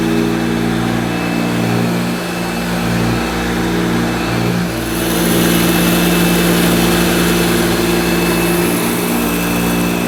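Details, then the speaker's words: 1971–74 Hoover Dial-A-Matic 1149 upright vacuum cleaning low-pile carpet: loud, steady motor roar with constant hum, no knocks or rattles; owner judges it sounds as it should, just noisy. "i think it does sound probably the way it should sound which is pretty noisy so apologies for you headphone viewers or listeners"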